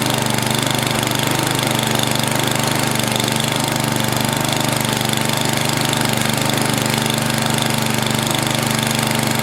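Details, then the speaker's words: NOMA 8hp snowblower, Tecumseh-type single-cylinder, freshly soaked-and-cleaned carb: steady idle with slight rise and fall every few seconds, governor visibly hunting; bottom mixture screw turned fully in, carb still needs tuning. "hmm well it started off good but it was searching a little bit you could see the governor right here going back and forth a little bit"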